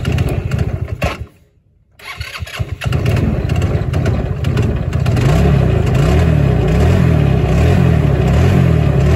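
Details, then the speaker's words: Hammerhead GTS 150 go-kart GY6 engine, first start after a 155–160 big bore kit. It was smoky, had overheated and was down on power before. It cranks, catches after a pause, then runs strong and steady with clean revs. Normal running, much faster. "okay so this thing's a lot faster it works a lot better now"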